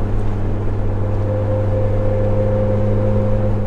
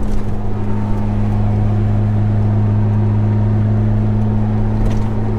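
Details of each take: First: Jeep TJ with a light bar on the roof/windshield, cruising: a steady mid-pitched mosquito-like drone over road noise, wind hum from the light bar that grows louder with speed and stops when slowing. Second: Jeep TJ cruising with roof/windshield light bar after noise fix: steady low engine and road drone, no whistle or hum; light bar now totally quiet, normal cruise.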